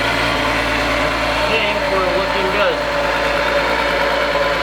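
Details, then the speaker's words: VW VR6 idling just after starting. Smooth, even low rumble with no misses or knocks and no smoke; normal idle. "Idling smooth. Sounds good, no smoke."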